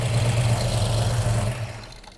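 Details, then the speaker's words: 1967 Mustang 289 V8 (about 400 hp) after carb tuning with 50cc accelerator pump and ignition timing: deep, steady burble at idle, even beat, no stumbles, dying away smoothly; sounds healthy. "i'd call that good good okay cool yep perfect that sounds pretty good it's"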